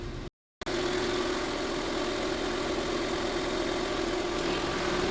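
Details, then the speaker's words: Car AC with the high-pressure switch reconnected after a simulated total switch failure: at idle the compressor engages and both cooling fans run again with an even fan rush and steady hum, high side near 150 psi; normal operation. "Luego luego se escucha que se activa el compresor y de igual manera los ventiladores ya empiezan a funcionar otra vez."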